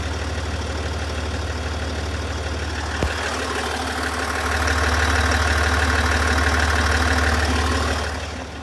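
Diesel idling with a light regular tick, about three a second, over the steady idle note; source of the tick unknown.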